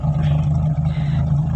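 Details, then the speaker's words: Carbureted Toyota Corolla 16-valve that stalls when releasing the clutch to pull away: low, lumpy idle with uneven pulses and popping at exhaust and front, idle rpm set too low and air-fuel mixture off, causing misfire. "nembak-nembak ya ini dikarenakan karena rpm nya terlalu rendah kemudian percampuran bakal bahan-bahannya kurang normal kurang normal ya temen ya"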